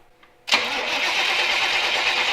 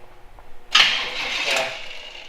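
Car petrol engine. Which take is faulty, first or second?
second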